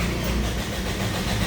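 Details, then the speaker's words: Toyota Innova gasoline engine with no dash lights at key-on: steady, even starter churning that never catches or picks up speed; cranks but won't start. "cranking lang. Ayaw gumalaw 'to crank shop cranking lang siya pero ayaw tumuloy andar."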